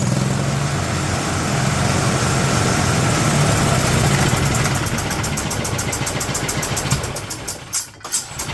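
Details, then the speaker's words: 2008 Yamaha Drive G29 gas golf cart engine running rough: fires unevenly, lumpy and labouring at idle with choke fully out, then cuts out; noisy, like compression or exhaust escaping, with crankcase pressure from the valve-cover vent tube; owner suspects head gasket, unconfirmed. "issue. It's noisy. It's like we have compression or exhaust coming outside the engine."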